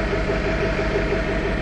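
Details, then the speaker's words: Cold-start idle on the Summit in snowy weather, just after it finally started in neutral (shifter position sensor needed adjusting): a steady low chug with an occasional skip, like a sewing machine; it always misfires a bit when cold. "think it's misfiring a bit it always does it on a cold start it's just a show see if we got any smoke sounds like a sewing machine"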